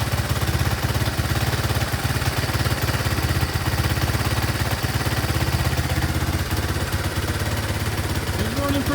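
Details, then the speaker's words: Honda ATC 200x single-cylinder after carburetor air-fuel mixture was dialed in, on a temporary fuel tank, hot humid Phoenix weather; steady even thumping at a fast idle, no misses or knocks, owner may turn idle down slightly. Normal idle. "smooth i'll give you that the motor is running great now"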